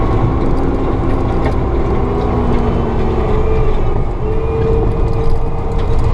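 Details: Forestry mulcher at normal operation: deep steady engine roar with a hydraulic pump tone that climbs and settles as the drum spins back up to speed under load. The operator disconnected the pressure gauge and judges drum RPM by the sound of the pumps.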